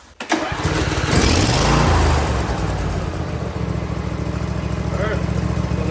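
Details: Briggs & Stratton V-twin on a John Deere riding mower (LA165/LA135 type) that had a high idle, after adjusting the speed and idle linkage tab. It catches at once, flares briefly, then drops to a low, even idle. Idle speed correct.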